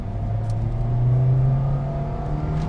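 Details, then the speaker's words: Toyota Vios 1500 cc with 40,000 km under full-throttle acceleration: the engine note climbs cleanly with no knocks. The transmission is a bit slow, but the top end is strong and quick. "Ya, transmisinya agak sedikit lemot, tapi putaran atasnya enak, cepat dia."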